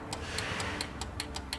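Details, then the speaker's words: Kleinn GMHD20 train horn onboard air kit on 2020–2026 Silverado/Sierra 2500HD/3500HD, test of wiring: relay ticks about five per second but compressor never starts, no motor hum; compressor ground line suspected, not confirmed. "Okay, so our relay is clicking, but our compressor didn't turn on. So we may have to look at the ground line of our compressor."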